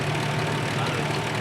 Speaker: Ini kalau bisa distilahkan inilah suara yang tidak merdu tapi enak didengar.